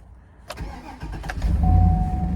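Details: 2007 Cadillac Escalade that had a no-start, no-crank fault (owner suspected the BCM) starts after a green connector clip was unplugged: short crank, quick catch, steady even idle; brake and ABS lights still on; normal engine start.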